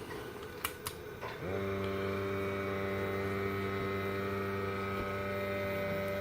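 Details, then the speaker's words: Worcester 38 CDI boiler in chimney sweep mode during flue gas analysis, turned down to minimum rate: a couple of clicks, then a smooth, even fan hum with a faint steady whine. Normal fan operation at minimum rate. "i turn the heating control knob you can hear it go down it's now minimum"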